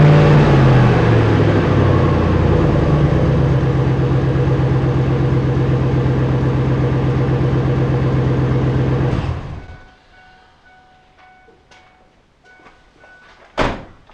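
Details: Ford F-150 parts hauler with the muffler removed, running a straight pipe: a loud, raw, deep unmuffled rumble at idle of about 160 pulses a minute, then shut-off; it needs a muffler.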